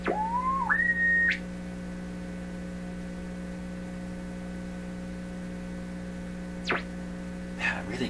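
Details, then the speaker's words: PYE 39HC shortwave receiver fed by a signal generator with internal modulation off: a steady low tone still hums in the output with brief tuning whistles over it, and there is no AVC response. Tone source undetermined. "see it shouldn't really hear that tone the mystery"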